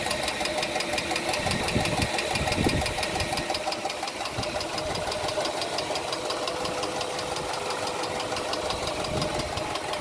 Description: I decided to start my car today and it is making this annoying ticking sound that I can hear all the way in my house.